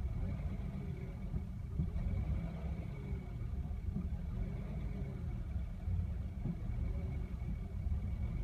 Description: My Mercedes W116 (1975 280S) is close to stalling and idling roughly when the engine is warm.